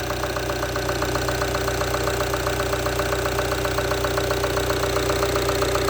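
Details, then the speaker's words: Rampage 2.2 diesel at idle: even diesel clatter of about four ticks a second, steady and regular with no odd knocks; a healthy, normal diesel idle. "Quem gosta do barulhinho do motor diesel, escuta só na marcha lenta."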